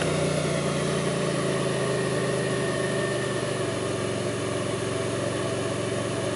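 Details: 2002 Pontiac Grand Prix 3800 V6 at idle, no check-engine light, alternator overheating; faint intermittent thumping pulls the idle down. Lumpy idle with a low irregular thump about four times a second over steady drone: misfire-type rough idle, cause unclear.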